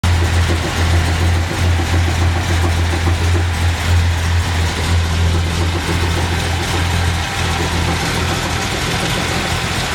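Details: Carbureted Datsun 240Z after a smoke test found the balance tube gasket leaking and a new gasket was made: steady, smooth idle holding at about 1000 rpm with no hunting. Carbs not yet tuned. Vacuum leak fixed; normal idle.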